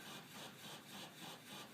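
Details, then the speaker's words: House water supply line, thumping felt at the water heater's cold pipe, the pressure reducer valve and the main shutoff: steady whooshing chug pulsing about three times a second. Cause unknown. "you can hear the the chugging if I touch the pipe right here off of the water heater is the cold"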